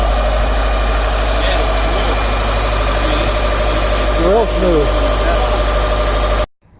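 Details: 2013 Subaru WRX Limited 2.5L now running after no-start, traced to cam pin misplaced and cam/crank relationship confirmed on both banks: steady, even low idle hum, smooth unchanging beat, no knocks or misses; normal idle.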